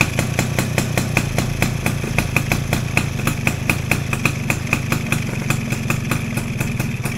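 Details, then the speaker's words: Yamaha SS two-stroke after carburettor air-screw adjustment: steady, smooth, even idle with quick regular pops, no hunting or "ngeng ngeng" hanging; throttle drops straight back, engine sounds healthy and finished. "dengar sendiri enjin dia. Dia punya smooth enjin dia memang mantap geng."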